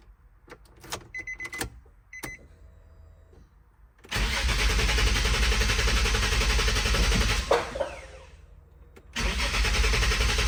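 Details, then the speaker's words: 2005 Nissan 350Z abandoned at 69k miles with incomplete VQ35HR swap, during two hours of electrical diagnosis and active testing: quiet clicks and relay ticks, then the engine unexpectedly fires, roars steadily, dips briefly and recovers; unexpected start while cranking. "Man, I've been diagnosing electrically for like 2 hours and this car just gave me a miniature heart attack cuz it fired out of nowhere."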